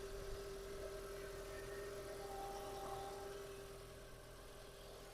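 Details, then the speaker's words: 2005 Audi A4 B7 1.8T petrol automatic with about 220,000–225,000 km, which started fine from cold. Smooth, even, quiet idle with no smoke, misfire, knock or tick; a normal, healthy engine. "не димить, не троїть. Мотор працює тихо, рівно."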